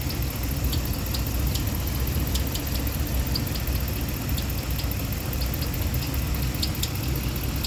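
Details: 2015 Ram 1500 with 5.7 Hemi at idle: light sharp ticking over the engine note; belt removal planned, then valve cover off to check lifters. Valvetrain tick suspected, not confirmed.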